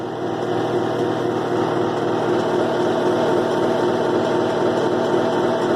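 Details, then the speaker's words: 2005 Kenmore 70 Series direct-drive washer reassembled after water pump work, on low spin: even droning hum with rough throbbing about four beats a second; odd noise, coupler suspected, cause unconfirmed. "ese ruido extraño creo que a lo mejor puede ser y que está haciendo el ruido no sé por qué"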